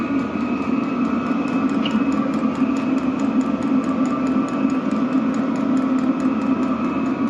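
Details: Vevor diesel heater (8 kW) soon after ignition, heat exchanger still warming, barely smoking: even blower roar with a steady soft pump tick about twice a second; running normally at full output.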